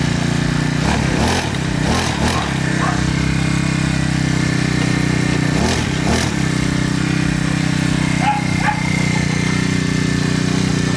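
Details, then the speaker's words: Freshly assembled Honda GX35 four-stroke gasoline grass cutter, test run: steady high idle with a few brief rev blips, starts one click and runs smoothly. "Gumagana. Ayun. Pagay na natin itong kanyang cover. Yan, umaandar na siya."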